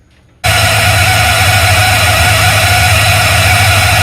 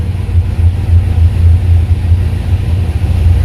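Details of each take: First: Square-body truck with Holley Sniper EFI throttle body, cold start or AC on pushing idle air control open to raise idle: loud steady droning whine over the idle; idle air control circuit noise. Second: Square-body truck with a Holley Sniper EFI after a Motion Raceworks throttle body install: low, steady rumble with even pulses and no knocks or misses, idle air control under five percent; a healthy, settled idle.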